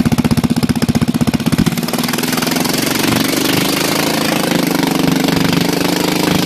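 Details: Bolens lawn tractor single-cylinder engine, sat about a year and a half, run with the muffler temporarily off: loud sharp open-exhaust popping smoothing into a faster raw blat.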